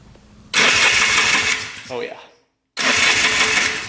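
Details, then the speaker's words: 2001 Polaris Xplorer 250cc ATV with a replacement engine, cranking after the clutch backing plate was refitted correctly: two steady smooth whirring bursts with no grinding or catching, so the clutch no longer rubs the cover. Normal cranking. "that is much better. No more grinding. So, clutch is all fixed."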